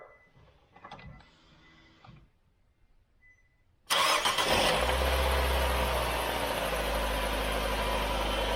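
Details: 2018 Nissan Versa, bought new November 2018, 105,000 miles, oil full and clean and recently changed with full synthetic: on a cold start, after a pause, it starts abruptly into a loud, harsh metallic clatter over a rough idle; internal engine rattle, cause unknown.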